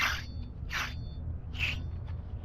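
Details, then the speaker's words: Removed wheel hub from a 2018 Nissan Frontier, bearing found completely dry, spun by hand: gritty rasp repeating about every 0.8 seconds instead of spinning quietly; dry, worn hub bearing, replaced with a new silent hub. "That's completely no good. That's completely no good."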